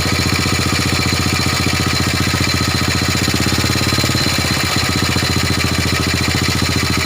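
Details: Old Honda Supra motorbike with suspected compression loss from a leaking valve (valve gap checked OK): steady, even single-cylinder idle, beats constant with no knocks or misses.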